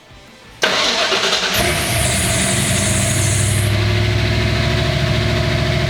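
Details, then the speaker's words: Ford Bronco V8 with a Chevy 700R4 transmission, which made a serious engine noise after an exhaust cutout was installed: it catches and revs up hard, then the revs sag unevenly back toward a high idle as if to stall; owner suspects a vacuum leak. "I'm gonna hit the gas, and then it's gonna rev up, obviously, and then it's gonna like die down."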